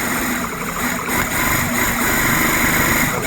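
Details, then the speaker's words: Echo CS-341 chainsaw crankshaft after reassembly with new lubricated bearings and circlips, spun by drill from the clutch side: smooth, even whir at steady pitch, no catching, knocking or grinding, no resistance; bearings healthy. "sounds good, no resistance."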